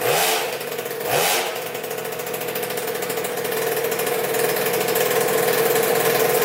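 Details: 2000 Cobra 50cc two-stroke racing mini dirt bike after a top-end rebuild and with a temporary throttle cable rig. Crisp quick blips, then a steady high buzz that follows the throttle cleanly. Normal revving.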